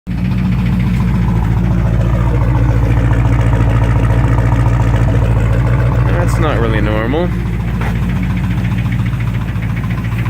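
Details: 360 V8 in a Duster at idle with a loud, deep note and steady knock about three or four times a second; chocolatey coolant confirms blown head gasket, rod knock suspected; engine knocking.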